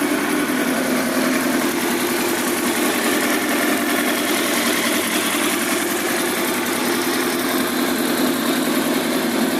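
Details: Kawasaki ZX10R at its first start after an engine build for track use holds a fast, even idle with a dense buzzy note and no knocks or misses; normal idle.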